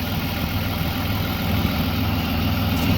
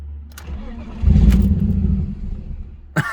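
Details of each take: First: BMW E36 with new Ireland Engineering catback and catless M3 midpipe, after fixing a ripped ICV-to-intake boot hose that caused the no-start: low steady idle, even beat, no hunting or stumbling, normal. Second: BMW E36 with Ireland Engineering catback and M3 catless midpipe: engine catches, flares briefly, then sags and dies within a second; first blamed on failed cats, actually a torn ICV-to-intake boot hose causing a vacuum leak.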